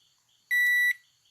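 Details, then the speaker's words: Microwave control board, display replaced, previously making an annoying noise, after circuit fix near the buzzer transistor; single clean half-second beep, no buzzing before or after; buzzer now working normally. "vocês verão que o bic vem normalmente funciona normal be é inclusive a contagem quando determina que o tempo ele com ele faz o alerta sim normal"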